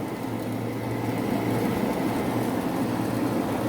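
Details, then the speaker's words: Carrier Infinity 58MVC080 gas furnace, flood-damaged, after gas valve replacement with used part: igniter glows, gas valve clicks, four burners light with a steady low roar and even hum, no flutter or popping; normal burner operation. "And you will hear another click from the gas valve. There you go. And it has ignited."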